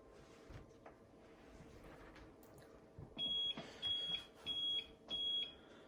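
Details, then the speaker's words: APC UPS switched to battery power. Four short, shrill beeps about half a second apart, repeating every 30 seconds; they can be muted temporarily by pressing the test button: on-battery warning beeps. "UPS जब बिजली पे होता है तो इस तरह की beep नहीं करता। जब बैटरी पर जाता है तो ऐसे बीप शुरू कर देता है। 4 दफ़ा बीप करता है हर 30 सेकंड्स के बाद।"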